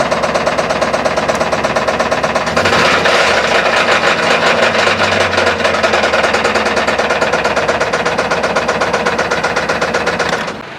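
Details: Old truck idling after a nasty knock began on the way back from hauling a load; fast, sharp ticking knock over the idle, steady and unchanging, loud internal knock, cause not pinned down; truck sold for salvage.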